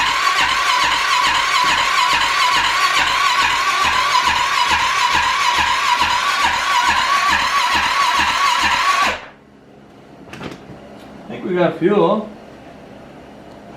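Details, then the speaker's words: Rebuilt wrecked Arctic Cat 650 H1 ATV, first start attempt: steady starter cranking about two compressions a second, never catching; fuel present but no spark, later traced to a bad flywheel giving no signal to the ignition module. "it will crank but not uh we got fuel in the car there so that's good"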